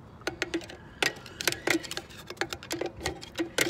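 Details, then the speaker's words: Dexter 5200 lb trailer axle during brake and bearing replacement. The drum is spun by hand while a screwdriver walks the star wheel, giving uneven light ticks until the shoes just touch. This is drum brake adjuster star wheel clicking. "there it's gonna basically walk a screwdriver in there you'll hear it and move the brakes while you do it you don't want to tighten it up too much to where the brakes lock up"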